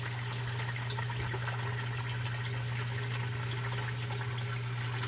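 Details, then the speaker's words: Basement sump pump, after Clog Hog cleared iron ochre (iron bacteria) blockage from discharge pipe: steady low motor hum under rushing water, smooth and unbroken, pumping level down normally. "you can hear it's on right now again pump is on right now and it's bringing the level water level right down and it should shut off here i would think fairly quickly"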